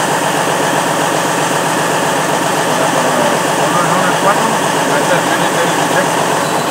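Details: Freightliner Cascadia DD15 diesel with white smoke, injector 4 fault and implausible low fuel pressure code: heavy idle turns rougher and lumpy when cylinder 4 is cut in the cutout test; dead cylinder 4.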